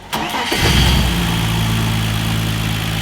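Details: BMW E46 turbo drift car with M54B30 engine, start after finishing the build: quick crank, catches and settles into a steady even idle with no misses or knocks; healthy start, sounds better.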